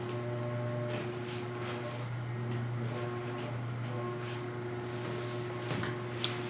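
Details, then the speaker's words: Electric faux fireplace running with loose foam strips under the log set; low steady hum with faint buzz, quieter than before but still present; suspected flame cutout sheet metal touching the unit and vibrating. "And not as bad as before, but still there. So something else. Trying to figure out if it's this, because this vibrates. So if part of this is touching the back of this unit, then it would cause some vibration."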